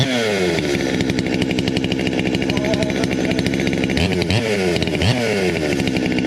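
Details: 200T chainsaw, cold start before new carb, intake boot, impulse line, fuel lines, filters and plug; fast steady two-stroke buzz at idle with a few throttle blips; idle sits a bit high, owner suspects mixture tuned in summer.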